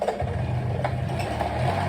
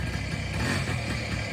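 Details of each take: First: 1983 Honda PA50ii 50cc two-stroke moped after a carburetor clean, ridden up the street: sputters with revs rising and sagging, bogging hard and dying repeatedly. Owner suspects sitting for a couple of weeks gummed up the carb again. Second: 1983 Honda PA50II moped, first start in three years after the CDI wire was grounded to restore spark: a soft, even, quiet two-stroke idle with a steady patter and no knocks; normal idle.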